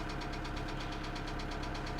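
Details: 2008 Kia Sedona 2.9 CRDi diesel (J3), P0016 crank/cam correlation code: hard, regular knock about nine per second over the idle, loud and even; jumped or faulty timing chain suspected, not confirmed.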